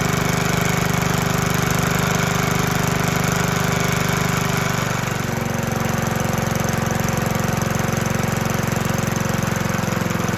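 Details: 1972 Hayterette mower, very worn, hard starting, stored six-seven months, fresh fuel, cold: single-cylinder engine runs steady and strong at governed speed with no misses once started.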